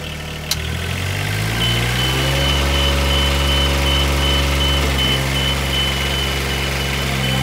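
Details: Duralift Jibbi 1250 boom lift driving straight-line in fast-drive transport mode: steady diesel running with high, even tone about three times a second on top; normal travel alarm working.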